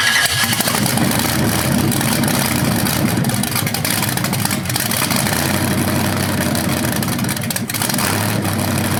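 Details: BluePrint 396 big-block crate engine for a 1970 Camaro SS, first run after oil priming and a timing check: loud, even lumpy idle with clean revs and no knocks or misses. It sounds healthy, though the owner notes the flywheel or headers sound different revving.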